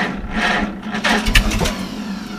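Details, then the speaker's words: Farmall H first start after winter on a cold early spring day: sluggish, slow dragging crank before a first pop, expected from thick oil; then sputters, idle rough at first but smooths out; slow cranking from thick cold oil. "a little bit of throttle some choke neutral I expect it to be slow with that thick oil"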